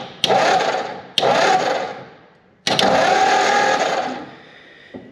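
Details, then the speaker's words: 1944 Ford flathead V8 ambulance, sat over 30 years, cranked with a test plug for spark: three starter bursts, engine never fires; cranks but no start, points or condenser suspected. "and nothing it's kind of what I figured uh see if we can get to the points clean them up hopefully the condenser is not bad"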